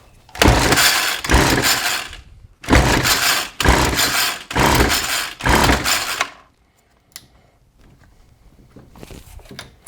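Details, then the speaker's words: John Deere RCS400 two-stroke trimmer combo of unknown history, primed, with gas in the carb and choke on. It has a fuel leak. About six rasping recoil pulls with no firing; it later runs on starting fluid, so fuel delivery is suspected. "So that tells us the engine is capable of running, but it seems like we have a fuel delivery issue, so shocker, I know, right?"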